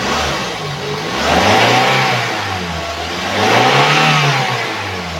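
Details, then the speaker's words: 2014 Daihatsu Granmax 1.5 pickup with AC and power steering, clean dry engine: two clean rev-ups to high rpm returning smoothly to idle, no knocks or odd noises; engine sounds normal and healthy. "RPM tinggi pun suaranya normal tidak ada suara-suara janggal"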